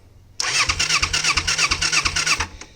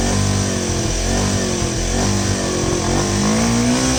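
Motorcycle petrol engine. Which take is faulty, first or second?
first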